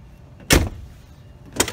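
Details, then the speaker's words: Ford Explorer power door lock after reinstalling the missing spring on the lock linkage: two crisp actuator thunks about a second apart, each with a quick full stroke; the lock now cycles properly. "see unlocked it opens okay it's locked it works that's awesome so it works"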